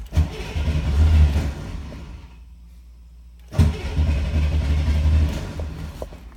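Two long low cranking bursts with a pause between, the engine churning over without catching promptly: a hard-starting car.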